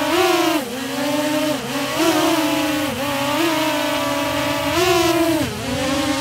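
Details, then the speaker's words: DJI Mavic Air fitted with Master Airscrew stealth propellers, hovering: even buzz, much quieter and lower pitched than stock props, rising and dipping as it holds position; slight shaking noticed. "All right, so definitely much quieter and also much lower pitch. So, not quite as annoying as it normally is with the stock propellers."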